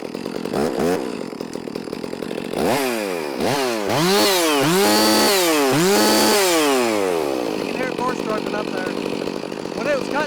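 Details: Stihl MS 460 (freshly rebuilt) or Husqvarna 562XP Mark II chainsaw, with new Exile muffler cover or Steadfast Forestry muffler; revs up in repeated surges, pitch rising then wavering and sagging at the top instead of holding clean, struggling at full throttle; cause suspected, not confirmed.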